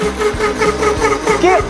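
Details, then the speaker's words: Fox Alien Masuter Pro belt-driven CNC cutting wood at 10 inches a minute and about 1/32 inch deep: the steady spindle tone sags and wavers as the cutter digs in. The spindle is bogging near stalling, so the cut was aborted. "I think it's stalling out the spindle. It's about to stall it out."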